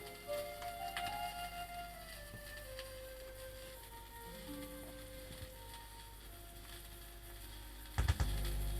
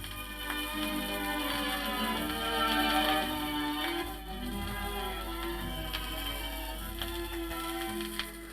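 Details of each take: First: BSR auto-changer turntable after quick service, running at 78 rpm through a mismatched input on an isolation transformer: held notes steady with no pitch wobble, low earth hum underneath; turntable holding speed properly. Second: BSR turntable bought as a replacement for a radiogram's BSR Monarch deck, during a quick service: music pitch sways slowly up and down about once per platter turn. Turntable wow, improving with use.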